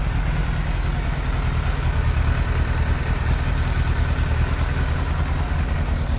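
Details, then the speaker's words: 1998 Yamaha YZF600R Thundercat after transmission repair, rear wheel off ground: even four-cylinder drone with slightly uneven, lumpy beat; runs rough, carburetion needs adjusting, otherwise healthy, revs up, no oil burning. "now it does run rough i'm gonna have to adjust that but runs sounds healthy revs up doesn't burn any oil"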